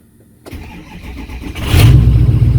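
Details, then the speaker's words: Ford 6.0 Powerstroke diesel that stalled and wouldn't restart, after injector and fuel pump replacement; brief crank, catches within a second, strong even idle, fuel pressure about 60 psi creeping up as air purges; starts and runs normally. "at that running truck how about that crap let that run for a little bit"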